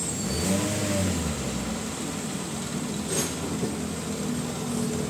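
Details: 2023 Toyota Veloz idling after fixing a misfire-diagnosed rough idle (scanner flagged cylinder, wet number four spark plug) and clearing codes: steady, even hum with no dips, stumbles or hunting; idle now stable.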